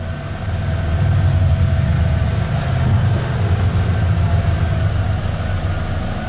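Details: Bullnose Ford truck after EFI-to-carburettor swap, temporary low-pressure fuel pump, not yet tuned so idles a little high; deep steady V8 burble, even low rumble, no knocks or misses; normal idle once off choke.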